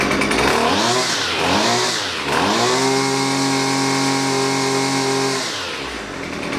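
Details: Husqvarna 128LD string trimmer that bogs and won't throttle up, during carburetor mixture adjustment; high buzz sags and recovers between blips, then steadies as mixture is set; bogging under throttle.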